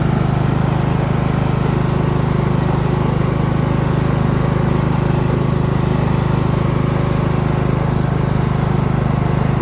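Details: Craftsman LT1000 riding mower being built into a mud mower, just run out of gas and burning off oil and water: steady even drone with a low pulse that never climbs; engine estimated at 2000–2500 rpm instead of about 3500, cause unconfirmed.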